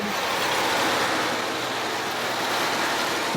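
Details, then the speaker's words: 2016 Ford F-150 after changing both belts and replacing the AC tensioner: steady engine run with smooth belt hum, no chirp or squeal, then shut off; no leaks, no squeaks, belts healthy. "Alright, so let's go ahead and get this back together and wrap this video up. Alright, she sounds"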